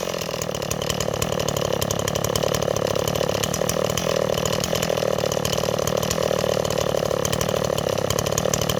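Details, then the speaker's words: Stihl 026 chainsaw after a small fire, recoil removed: uneven, burbling two-stroke idle with a lazy blubbery beat; saw bogs in wood and loads up on fuel after idling; running a little rich. "okay neighbors our sauce running a little rich"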